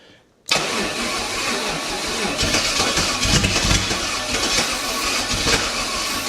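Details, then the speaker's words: 1969 Chevy 327 small-block V8 on a wheel dolly, kept alive on starting spray with ATF in the mix (expected to smoke): sharp catch, then a rough, busy roar that holds steady without dying; engine running on spray. "It's going to smoke a little bit cuz all the ATF in that mixture, but all right. See if I can keep it running on the spray."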